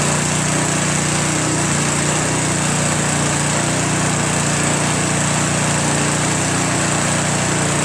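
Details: Craftsman Trac Plus 23-inch dual-stage snowblower, 5 HP Tecumseh, first cold start after a year stored without stabilizer, fresh gas, full choke, dark oil due for change: steady even putter, no misses or surging; idles well, normal cold start.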